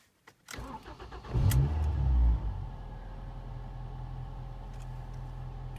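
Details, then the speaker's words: 2006 Ford Fiesta ST 2.0 petrol cold start: brief crank, catches first try, flares then settles to a smooth even idle; healthy start. "it starts off right on the button first kick"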